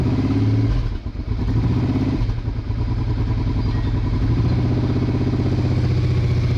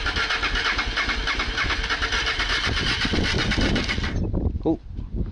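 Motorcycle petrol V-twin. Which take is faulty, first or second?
second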